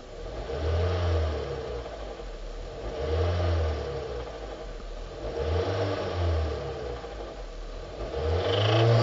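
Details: 2005 Hyundai Sonata 2.4 L 119 kW engine revved in slow swells, dull knocking clatter rising with each rev from worn crankshaft bearings, fixed by replacing the bearings.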